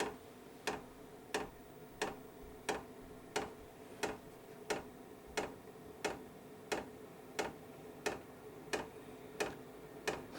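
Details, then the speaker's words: KROAK TB2 8 kW 12 V diesel heater at first start, fuel line still filling with air; crisp, even ticks about one and a half a second from the dosing pump feeding fuel normally as the fan slowly speeds up. "Das Klackern der Pumpe ist doch gut vernehmbar. Also ich kann es gut hören. Ich denke, es kommt im Video auch so rüber."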